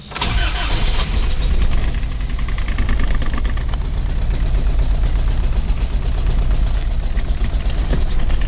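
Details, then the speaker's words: 1987 Toyota 4Runner, high mileage, remanufactured four-cylinder, cold morning start, clutch in: catches and idles lumpy, stumbling on two or three cylinders, still misfiring after 3 minutes; cause was cheap head gasket, coolant loss, cracked head, fouled plugs. "So that was running for like 3 minutes and it was still misfiring."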